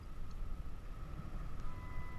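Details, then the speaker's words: 2006 Dodge Stratus A/C blower motor behind glove compartment, after replacing a motor that squealed high-pitched at every speed, new Four Seasons/Trumark 75772 on high (speed 4): smooth, steady rush of air, no squeal; fixed. "motor is working fine except we don't have that noise as you can see the motor is all the way to four number four motor is on high and we don't have the noise the noise gone"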